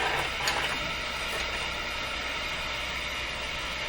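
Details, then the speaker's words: Nordmende Boheme C tube radio during IF alignment, before proper setup, volume turned down: loud, even hiss swamps the output with no programme; the meter is probably reacting to the hiss; hiss from IF misalignment. "let's just go through it anyway and then we can always set things up better so this meter is probably reacting to the hiss more than anything let's find out"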